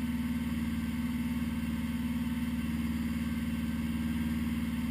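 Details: 1980 Honda GL1100, slightly cold start at 54 degrees after a rebuild, perfect carb synch; steady even idle with smooth regular beat, no hunting or miss; normal idle.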